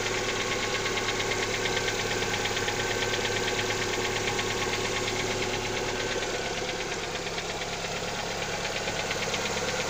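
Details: Lada Xray engine on cold start: steady, even ticking knock roughly three per second over the cold idle, rhythm unchanged; owner asks what is knocking, source unknown.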